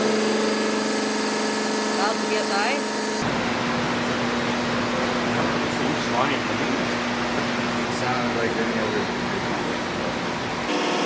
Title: Weird noise in a gear pump